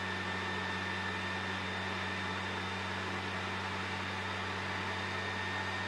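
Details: PS4 Pro CUH-7016B in the multiplayer menu, before cleaning. Cooling fan at about 60 dB, a loud steady rush with a fixed hum and high whistle. Caused by dust and dried thermal paste; about 35 dB after cleaning and repasting.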